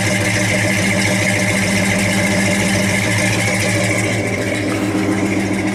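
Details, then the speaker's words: 1963 Chevy 1-ton flatbed truck idling; steady, even low idle with firm regular beat, no knocks or misses. Good running truck that needs a tune-up. "It's a good running truck. Needs a good tune-up, but he's idling now."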